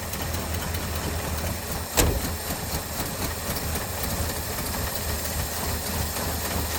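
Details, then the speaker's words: 1983 Ford F250 carbureted V8, start after sitting non-running with fresh fuel added: even, steady idle with one brief bang early on, then smooth running without misses or knocks. Normal idle. "Well, it sounds like it's runs good when it runs."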